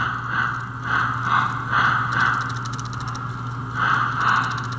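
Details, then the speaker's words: 65-year-old American Flyer toy train with added 4-chuffs-per-revolution smoke: uneven scraping chatter about twice a second over steady motor hum as drive gears jam and slip; owner suspects the idler isn't doing its job, a stretched chain, or his added piece. "it's getting jammed inside and slipping the gears okay now we know now we know what the idler is not quite doing the job or the chain has stretched or my piece"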